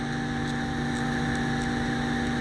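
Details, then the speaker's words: Electrolux MF41 31-litre microwave after replacing an oversized, wrongly fitted transformer that made a heavy noise and hard start: smooth, even mains hum, constant pitch, no buzz; transformer running normally, problem solved. "tá suave agora tá vendo ele é bem menorzinho então acabou o problema"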